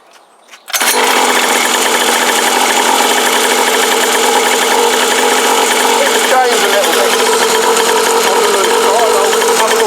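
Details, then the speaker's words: Cheap kids' two-stroke motocross bike, warmed up and restarted after coil wiring work: steady even crisp buzzy tick-over, no misfire, responsive; warm idle healthy. "that's running well I've just warmed it up it's ticking over well"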